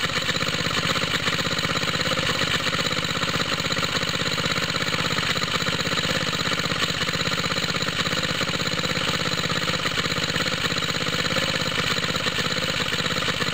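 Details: Water pump rig engine, cold start with choke on, straight 30-weight oil, new exhaust tip; smoke from side of head, owner thinks head gasket leaks, low compression: busy, uneven idle with rapid chuffing about three per second; head gasket leak.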